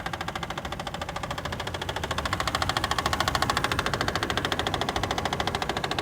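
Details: Toyota 2JZ engine: sharp, even knocks at about 136 a minute over a steady engine note; a clear engine knock, cause not yet found.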